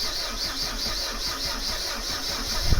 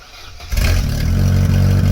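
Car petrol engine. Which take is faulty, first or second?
first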